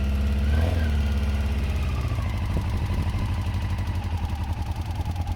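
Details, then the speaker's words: Honda CBR just started cold after many attempts: low lumpy idle, two or three uneven pulses a second, stumbling like it will stall; needs to warm up. "No, no. Let it warm up first a little bit. That's gonna die."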